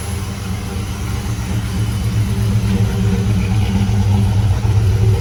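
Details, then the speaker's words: 1995 Chevrolet Impala SS V8 after TorqHead install, just after first start: deep burble with slightly lumpy, uneven beat as revs creep up; running super rich, ECU pulling fuel, tuning needed. "snaking rich hotels super rich it's taking fuel away right now all right we'll have to work on this tomorrow"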